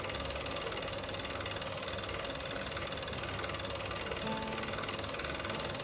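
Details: Tacx Flux smart trainer: continuous gritty grinding with a steady rhythmic rasp, about four per second, while spinning; source not yet found.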